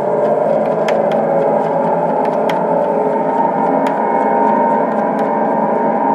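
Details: Mattel Optigan Model 35011 organ after preamp op-amps were replaced with new 1558s, which cured the hum. A constant organ-like drone with ringing overtones plays with no key pressed. Channel bleed-through; resistor packs suspected, not confirmed.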